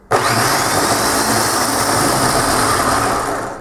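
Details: Bosch 230/231 series reduction-gear truck/tractor starter motor, bench-run after repair and reassembly via jump leads to solenoid: sharp start into smooth steady high whir for about three seconds, even wind-down; spins freely, healthy.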